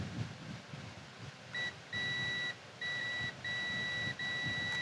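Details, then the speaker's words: 1976 Kawasaki KZ900 ignition points being set with a multimeter in continuity mode: clean high beeps in short bursts as the left points are jumpered with a screwdriver, simulating closed points. "right now if the points were closed we'd be getting a tone and we can kind of simulate that by just jumpering them with a screwdriver if you listen carefully"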